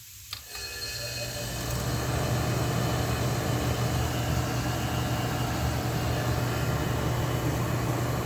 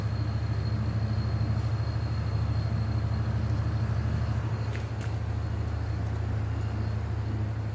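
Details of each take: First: Restored Oasis dehumidifier with what is thought to be a Tecumseh reciprocating compressor: steady, even low hum with a constant drone, no knocks or rattles after fan-rubbing tape was fixed; compressor runs smooth and healthy. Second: Vintage Ebco Oasis dehumidifier, fan blade reinstalled: steady low hum with a fast light flutter as the fan strikes loose tape, apparently from an earlier shroud repair, shaking the capillary tube.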